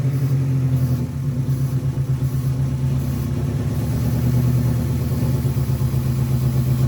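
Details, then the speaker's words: Integra that had been idling around 3000 rpm, with carb cleaner sprayed around the intake while running: the idle turns lumpy and sags, almost stalling. This indicates a vacuum leak from a bad intake manifold gasket. "you can see that it almost wants to die so that means that my intake manifold gasket is bad"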